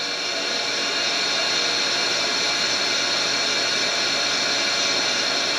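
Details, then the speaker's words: Deep well jet pump after replacement, valves closed to fill the tank, regulator refitted: steady even high motor whir with rushing hiss, no knocking or grinding, sounding better at higher pressure. "sounds better when it gets a higher pressure that's for sure"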